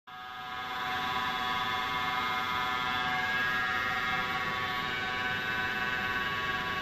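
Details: Denford Triac CNC with Mach 3 conversion and Panasonic 1.5 kW servo replacing the original SEM DC spindle motor: steady high multi-tone whine rising with speed, upper bearing support gets very hot; spindle bearings suspected, not confirmed.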